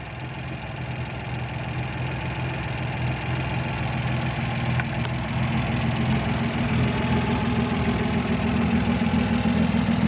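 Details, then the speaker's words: One-owner 1962 Austin Healey 3000 MK2 BT7, tri-carb six-cylinder, 55 years old: even steady idle with smooth low burble firming slightly, no knocks or misses; runs great. "it runs great it really runs quite well"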